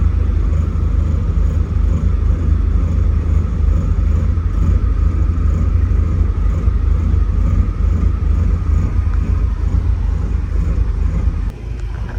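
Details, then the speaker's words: Porsche 944 project car, started after a new reference sensor with an open line was swapped back for the old one: low, steady rumble with an even beat, no misses, knocks or hunting; smooth healthy idle. ECU and tach issues remain. "right guys so I've been letting it idle we'll be back tomorrow"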